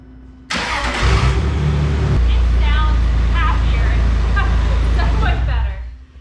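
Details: 2005 Jeep Wrangler Unlimited TJ 4.0 after replacing clogged catalytic converters with new Flowmaster exhaust with cats: short crank, catches cleanly to steady even idle, no ticking or exhaust leak; sounds healthy.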